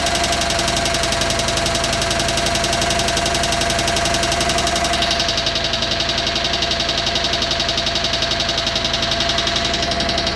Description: Onan CCK engine making a knocking or tapping sound